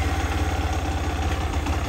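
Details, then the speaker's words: 2022 X-Pro Vader Grom clone motorcycle after swap from stock 125cc 4-speed to ZS190 190cc 5-speed engine, Nibbi air filter, in neutral: quick, even low single-cylinder thumping at idle, no misses, knocks or rattles; normal idle, throttle response far better than stock. "good deal really good throttle response like fantastic over stock"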